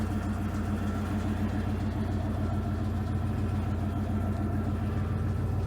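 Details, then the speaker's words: Cold start at about 5°F on a 1990 Ford F-150 4x4 plow truck that wouldn't idle, owner suspects a bad IAC valve. After refitting the part it starts right up and idles with a steady, even low rumble, no knocks or misses: normal idle. "Well, I put it back on, fired it back up, started right up like it's supposed to. Now it's running good."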